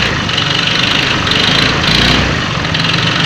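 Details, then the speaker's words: Honda Vario 125 FI scooter, idling then revved, just after a service: rough, clattery diesel-like rattle over the engine that gets louder on throttle; cause unconfirmed, suspected piston connecting rod (setang piston) or engine age. "Apakah mendengar dengan suara mesin yang kasar seperti diesel? Ini kalau digas tambah kenceng."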